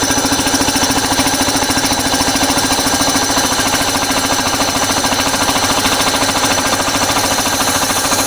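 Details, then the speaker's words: Old home-made air compressor with a 5 horsepower capacitor-start motor and tiny tank: fast, even piston chatter about 200 beats a minute with a steady hum, no knocks or misses; healthy, quickly building pressure before the pressure valve kicks in. "So we build up the pressure and it's well now. Builds up pressure really quick because it's a tiny little tank."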